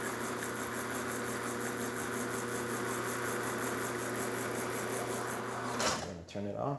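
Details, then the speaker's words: Rocket Giotto espresso machine after full service with new lever and brew switch, brewing a shot at about 9-10 bar: steady, even pump buzz for over five seconds without surging or rattling; pump healthy. "You'll see it's going to run a little fast because it's not coarse enough, but we are brewing at 9 bars, kind of 10 bars, and yeah, we're just going to let that"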